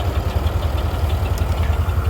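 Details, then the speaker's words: Oliver 1755 vintage tractor hooked to a New Idea 512 haybine, running after an earlier god-awful noise: deep, even chug at a slow steady idle with a regular beat, no misses or knocks; old engine idling healthily. "it's uh the old tractor's running pretty good the joys of vintage equipment"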